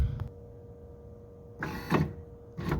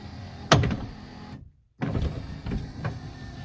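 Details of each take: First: 1979 Lincoln Continental right front power window motor bumped down to relieve pressure during removal: short strained bursts with a dull thunk; worn drive pins and gear play suspected. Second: 1979 Lincoln Continental right front power window motor after the torque pin repair and taking up slack: short whirr, pause, then a smooth even run with light clicks and no grinding, much better than before.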